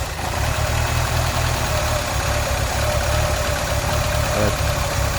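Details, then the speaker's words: 2000 Ford Fiesta MK4 1.3L 60 hp Endura at start-up: low, uneven hunting idle that barely holds, near stalling; MAF/intake temperature sensor replaced without change, unplugging throttle body sensor gives a good but too-high idle; cause unknown. "Donc au démarrage, voilà, le ralenti ne tient pas, je cale."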